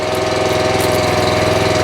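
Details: Honda-engined CAT 5DX40G pressure washer pump after reseal and valve replacement, started on choke and run just under full throttle with pressure turned down to purge air: steady drone, even pump tone, no knocks or surging.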